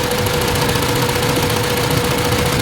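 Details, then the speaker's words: Hyundai Elantra after computer box repair for no crank no start: uneven idle with faint shake and steady tone; dropping one cylinder barely changes it, its spark plug soaked in oil, causing misfire and shaking. "So yun pala so ito naging problema niya mga sir ah basa an basa ng langis kaya pala ano siya nangangatal"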